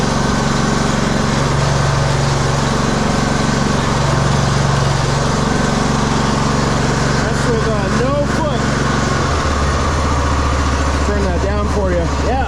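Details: 2015 Craftsman T2200 lawn tractor, 19hp Briggs and Stratton engine, automatic transmission, test run in pouring rain after transmission cleaning and reassembly. Steady even running, no knocks or misses, rain hiss behind; working perfectly, repair fixed it.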